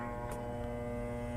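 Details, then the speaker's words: Hanabishi high velocity electric fan on speed one: steady electrical hum with no rising blade whoosh, motor energised but unable to turn. "as we heard the motor is starting to turn but it cannot turn"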